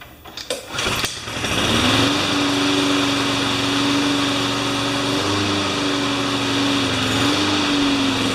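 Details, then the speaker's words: Craftsman 21-inch mower with Honda engine after blade work, started by pull cord: steady even drone with no hunting or surging, normal running; it surged the day before, owner suspects water in the fuel. "So it's not surging, but yesterday it was. So that tells me that there's probably water in the fuel or something."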